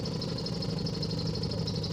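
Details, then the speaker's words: 2009 Nissan Navara diesel with loss of power and erratic shaking, no check engine light: uneven, lumpy, stumbling idle with the vehicle shaking, a misfiring cylinder pattern from faulty injectors. "sorry for the shaking up this is the vehicle doing that not me right"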